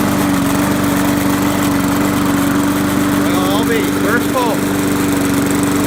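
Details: Trash-picked Poulan Pro single-cylinder lawnmower that had been hydrolocked from too much oil, now fixed and running a steady, even drone with constant tone; still smoking a little, oil change pending.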